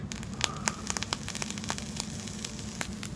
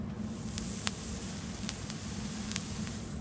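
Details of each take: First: Vape tank with a plain Kanthal wire coil while firing: irregular sharp pops and snaps over a soft sizzle; the Kanthal coil is popping and crackling, unlike stainless steel coils which stay quiet. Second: Vape coil fired in tank: steady soft sizzle with only a few faint ticks, no popping or spitting, unlike the popping stainless build before; coil firing cleanly and evenly.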